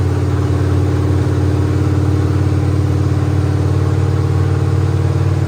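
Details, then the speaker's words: 1969 Mercury Montego first start after work, new fuel line, about six gallons of gas, new air cleaner, transmission serviced, started without pumping the pedal: engine catches and settles into steady even low rumble, no misses or knocks; normal start and idle. "now that was impressive all right take two let's actually try to fire it up"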